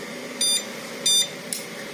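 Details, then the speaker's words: Xian Ke Zhi pure sine wave inverter on a weak, worn used battery at about 11.2 V, switching on a 36 W AC lamp: two short shrill beeps as the low-voltage alarm trips under load, yet the lamp lights. "Langsung di bawah 10,4 ampere, alarm low voltage-nya bunyi, tapi lampu sih bisa nyala."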